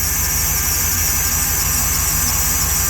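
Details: 2014 Jeep SRT8 auction buy with a broken valve spring, cold weather: steady high squeal over an even V8 idle; power steering pump whine suspected, not confirmed. High-pitched squeal at idle.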